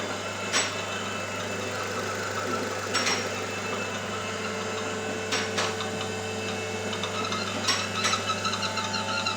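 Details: New Nissan Terrano (Renault Duster platform), 47,000 km, at idle: thin high squeak with faint chirps every couple of seconds, first suspected near the flywheel or release bearing; cause is a torn PCV valve membrane.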